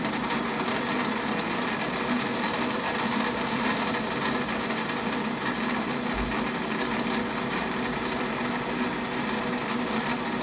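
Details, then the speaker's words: Lathe running about 650 RPM: fine busy metallic rattle from the loose slave/idler change gears on the banjo. "that is the slave gears on the banjo that are just jiggling around and making a noise and I don't think it sounds very premium"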